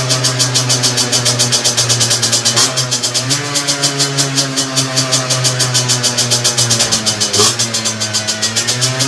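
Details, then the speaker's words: Two-stroke moped with 17.5mm carburetor on a bench, needle reset to correct position: crisp buzz picking up instantly on each throttle blip and returning on its own to a steady idle; normal idle and throttle response. "toutefois bien réglée elle revient se ralentit tout seul lors à l'enfiler trop pour l'enfance mothers tout autre aimant sainement et aient la moindre sollicitation de poignées tout de suite le moteur explosif"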